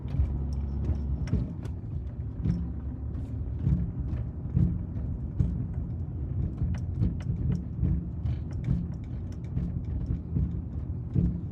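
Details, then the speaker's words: BMW E82 1 Series with a Bilstein B12 kit and original rear top mounts: irregular dull thumps over road rumble while driving, not every bump, a double bang from the rear driver's side; shock absorber top mount suspected. "it sounds to me like it's a shock absorber uh rattle they do sound a little bit peculiar because they they it's not every bump it's kind of like it's a funny old bang you could I can hear it now rumbling"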